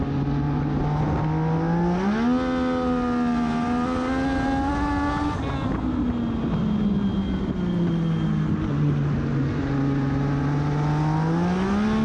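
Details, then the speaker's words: Race car at Charlotte on track before qualifying: engine note climbs quickly on throttle out of corners, then hangs and flares without pulling harder in the correct gear; driver suspects the clutch slipping, later ending his race. "you can just tell in the audio like I get on I'm the correct gear and get on it out of the turns but the car is just not going anywhere"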